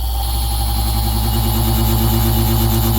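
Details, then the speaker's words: 1958 American Flyer S gauge Alco diesel locomotive's roar unit, restored after reed adjustment, running at idle: a steady deep growling buzz with an even flutter, a normal diesel roar. "and then we'll go ahead and turn the Roar on [Applause] and there's there's our idle Roar"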